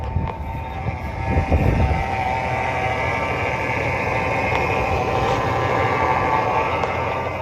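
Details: 1999 GMC Sierra pickup, sat three years with a dead battery, just started and warming up with oil pressure and a low coolant light: steady, even low rumble with no knocks, misses or hunting; idling healthily.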